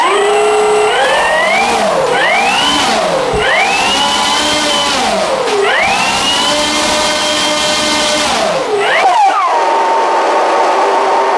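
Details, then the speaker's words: Starmax 1600mm P-51 Mustang RC plane electric motor on its third flight: harsh, gritty screech sweeping with throttle, made on takeoff, then lost power and belly-landed; owner reproducing it on the ground to troubleshoot, cause unknown. "But on the third flight, the motor made a god-awful noise on takeoff, and I lost power."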